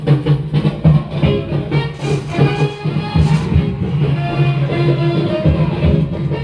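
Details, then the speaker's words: 1968 Zenith YT960 stereo console playing an old Otis Redding record on phono: playback sounds fuzzy and smeared, with a rough edge over the bass and drums. The speakers sound fine on the radio; the turntable isn't tracking right, and the owner thinks it needs cleaning or adjustment. "This is an old record here, Otis Redding. You can hear it's, for some reason, it's going to need some cleaning, whatever's coming out of there."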